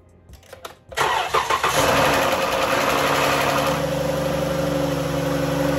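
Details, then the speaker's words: 2011 Dodge Journey 3.6 V6, cold start after lifter and rocker replacement: catches quickly and settles into an even, steady idle with no lifter or rocker tick; normal cold start. "It's a cold start. Everybody like cold starts. Now she'll probably make a little rattle, a little tick till the oil gets all up in her."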